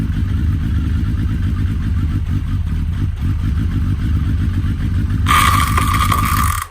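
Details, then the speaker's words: Suzuki Hayabusa, wheel turned in gear while lubricating the chain: heavy metallic knocking and clatter from the clutch side, like metal exploding inside the gearbox, then the bike stalled; cause was a loose clutch pressure plate bolt. "il ya eu un bruit hyper flou c'est qu'il ya un espèce de gros cognement comme des métaux qui a explosé à l'intérieur de la boîte tout en dressant la chaîne donc du coup la moto à calais tout seul"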